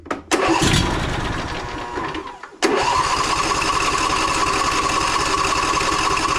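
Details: John Deere E140 riding mower, after a starter replacement and Phaser 3000 treatment for moisture in the fuel: fires after a couple of cranks and settles into a smooth, even run with no misses or knocks.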